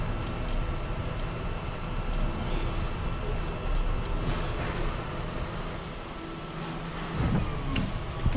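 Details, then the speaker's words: 2015 Forest River Cherokee 304BH travel trailer hydraulic slide-out pump: steady motor drone with a faint constant whine. The pump turns high-pitched once all slides are fully out; normal operation. "you hear the pump listen you can hear that they're all out once the pump does a kind of a high-pitched sound"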